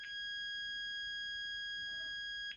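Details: After repairing the gas valve on a Carrier Weathermaker gas furnace, the continuity meter holds a clean high beep about 2.5 seconds with no dropouts, even when pushed, showing no fracturing.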